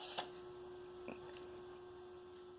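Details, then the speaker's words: Brother FB100 floppy disc drive reading track to a Brother knitting machine console: soft clicks over faint steady hum as drive engages and reads; sounds normal. "did you hear that I was able to hear the drive engage I didn't hear it last time"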